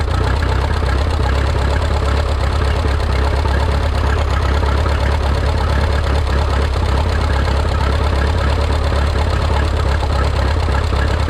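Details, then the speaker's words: Freshly rebuilt Minneapolis Moline 335 tractor engine: loud, heavy, low thump with an uneven, lumpy idle beat, misfiring. Owner says it isn't running right and needs tuning, perhaps timing; tappet gaps were reset warm. "Issue number two is it was not really running right. It needs to be tuned a little bit. I either need to play with the timing just a fuzz."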